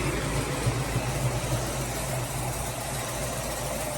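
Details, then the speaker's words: 1964 Ford Falcon V8 after tightening loose header-to-collector bolts that caused an exhaust leak and fixing overheating: low, even quiet idle, with the cooling fan's steady whoosh loudest and no exhaust leak. "Yep, no exhaust leak now. That's how quiet that sounds out of here now."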